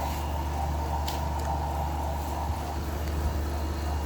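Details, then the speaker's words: Vintage Ebco Oasis 13-pint dehumidifier, compressor quiet: steady low motor hum with a faint dry, rough whine from the fan motor; bearings sound bad and likely need oil. "Those bearings sound pretty bad."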